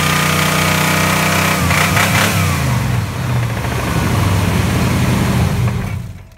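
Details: Toyota truck with a 350 engine, 224,000 miles, oil changed every 3,000–5,000 miles: heavy diesel-like knock about four per second at idle and revs, louder with throttle; bad motor.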